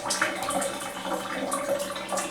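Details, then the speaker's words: Sheraton Boston Hotel junior suite bathroom, 21st floor: rushing water with bubbling gurgles and splashes as the shower drain empties, louder than usual but flowing steadily; loud shower drain, considered no big deal. "the drain is kind of loud but you know it's whatever so yeah there you go very nice shower and it does have a little exhaust vent up up here too but other than that there's no real fan"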